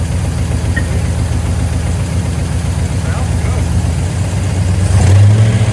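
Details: 1972 GMC C10 pickup, sat unused for years, running with fuel pump fed from a can of gas: deep, steady idle burble with slight rev rise near end, even, no knocks; ran pretty good though very smoky.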